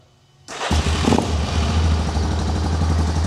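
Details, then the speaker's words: ATV started after its carburetor was cleaned, the battery charged for a couple of hours and the petcock turned on, with the air filter still off: it fires after a short crank and holds a smooth, steady low idle with no misses; running normally. "As you guys can hear, she's running, purring like a charm."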